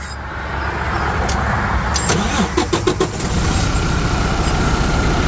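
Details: 2017 Freightliner Cascadia with a DD15 diesel, started right after a roadside serpentine belt replacement. A short crank catches quickly and settles into a steady, even idle with no squeal or knock. The engine runs normally.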